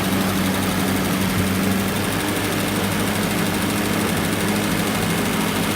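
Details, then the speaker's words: 1937 Chrysler Imperial Roadster, no choke, warming from cold after tinkering: low heavy idle with uneven shudder and occasional stutter; rough idle, cause not confirmed. "I got it the shake going on like it's got a starter in fact he comes you can hear the stutter"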